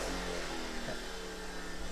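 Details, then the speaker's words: Sportsman 1000 W inverter generator powering a microwave on medium: engine drones hard, pitch sagging and wavering, overload light on, then it stalls; overloaded. "let's try the medium setting oh you can hear her trying got the overload light on"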